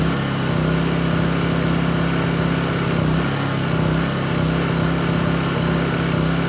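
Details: New Honda EU2200i inverter generator, fresh oil, running until the fuel shutoff is tested: steady mid-pitched drone with only a gentle hunt in speed, no knocks or misfires; runs healthy.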